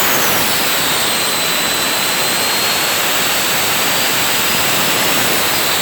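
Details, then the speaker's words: Turbo barrel on a cage buggy heating wood for pyrolysis gas: loud steady jet-like roar with a faint whistle sliding down in pitch as the turbo comes up on boost then falls right back off. "It comes up on it and then it just falls right back off it. Very strange."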